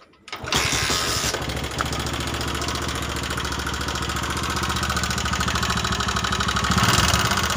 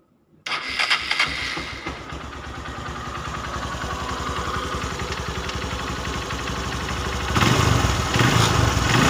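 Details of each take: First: Honda Megapro New 150cc monoshock engine running: harsh, clattery idle with a ragged beat around three per second. It smokes, is sluggish, burns more fuel and gets worse when hot; traced to a worn piston, cylinder and valve guides. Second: Honda Megapro 150cc that ran rough and smoky, after a rebuild from the cylinder block up: the engine catches quickly and settles into a smooth, even idle with a couple of throttle blips; no longer rough.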